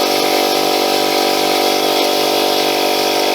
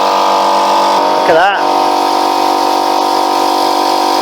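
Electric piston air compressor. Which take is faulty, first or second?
first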